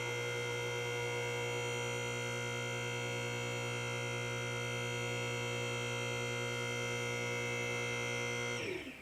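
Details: Atlas Platinum ALI-certified 10,000 lb car lift, new install, hydraulic pump purging air and filling the cylinders before the lift moves: steady, even buzzy motor hum for about eight seconds, stopping cleanly; normal pump run.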